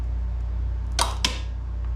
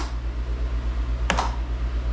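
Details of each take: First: Craftsman GTS5000 lawn tractor with Kohler engine, PTO clutch bench-tested with a makeshift battery wired to its plug: two sharp clicks over a low hum as the clutch pulls in sluggishly, struggling but engaging; sticking PTO clutch. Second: Craftsman GTS5000 lawn tractor with Kohler engine at idle, after replacing a bad PTO switch: two crisp clicks about 1.4 seconds apart as the electric PTO clutch engages normally.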